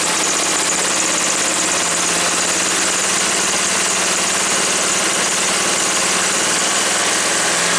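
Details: Woods 6180 zero-turn mower, 18 hp Briggs & Stratton Vanguard twin, after carb cleaning: even, steady idle with no surging, misses or stumbles once the air filter top was removed; owner suspects a plugged, oil-saturated filter.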